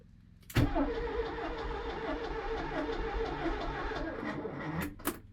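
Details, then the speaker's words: Porsche 924 that sat about 30 years, starter turning the engine over evenly for about four seconds without firing after fuel system was primed from a jerry can; no spark. "nothing so we're not getting spark um it's actually very similar to this car I just bought where you get spark when you turned off the ignition and that's the only time you get a spark from anything"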